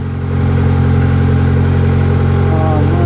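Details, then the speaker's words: Honda petrol engine idling high with an uneven pulse about four times a second over deep exhaust drone, idle hunting; vacuum leak suspected, not confirmed, being searched for among vacuum lines. "let's go back up to the front so yeah like i said this thing it's it's revving high"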